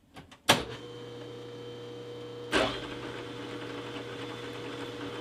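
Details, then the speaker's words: Repaired Banggood 3-inch R8 boring head, 0.040-inch cut, multiple passes: steady motor hum with clean, even cutting tone, no chatter or squeal; cutting well before going deeper into the bore. "that seem to be cutting well so I've made uh multiple passes down below"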